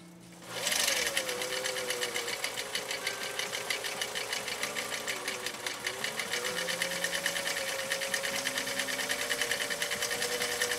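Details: 1955 Husqvarna Viking Type 21 Class 20 sewing machine (1.5 amp), restored, sewing stitch 2 on cam A (building block design), slider at two, width four: quick even stitching clatter at steady rate, no knocks or hesitation; normal running.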